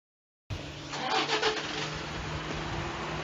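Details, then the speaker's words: Toyota Vigo Champ diesel pickup with a black-smoke complaint fires and settles into idle with a hard, uneven clatter over the engine note; injector knock from the nozzles. "โดดำๆที่ได้ยินเสียงหัวฉีดเขกไหมเมื่อกี้แรกอ่ะ"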